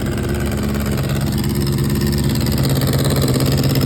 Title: 2004 GSXR 600 Running *MAJOR Exhaust leak*